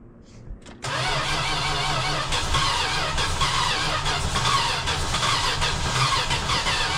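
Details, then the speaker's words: Classic six-cylinder project car, after starting fluid sprayed into the carburetor, with apparently no exhaust fitted: ragged, uneven chug; owner suspects it's firing on about two cylinders, perhaps stuck valves from old gas, and plans to check spark. "It is really trying. Same thing. So, it's like probably trying to fire on like two cylinders. I bet it's got some stuck valves in it from like old gas and whatnot."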